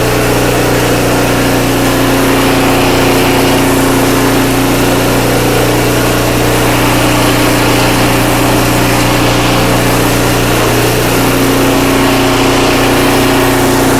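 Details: Craftsman 5/24 track snow thrower, small single-cylinder engine, after carburetor cleaned with carb spray and compressed air (seller's earlier carb clean failed): loud steady drone at constant pitch, no surging or misfires; running smoothly, restored.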